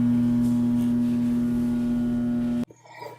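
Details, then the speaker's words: Garbage disposal switched on: steady electrical hum with no spinning, then cut off. It is jammed on a foreign object; clear the chamber, then free it with a hex/Allen key. "when you hear the the humming noise that means that the engine is stuck with something it could be a toy it could be a screw it could be a silver whereare I don't know something is inside"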